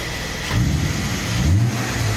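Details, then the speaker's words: BMW E34 with Bosch injection, 2.5 converted to 3.0 litre six, after fixing torn breather hose and intake hose and flashing a lambda-delete tune: blips cleanly and settles, all cylinders working, no misfires. "машину прошили работает ровненько подключились углубленно работают цилиндры все"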